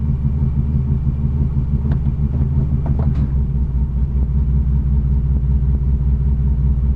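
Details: 1987 Chevrolet Cavalier RS convertible V6 at idle, owner has replaced everything yet it won't smooth out: uneven, lumpy low rumble that wavers instead of holding steady; rough idle, cause not confirmed.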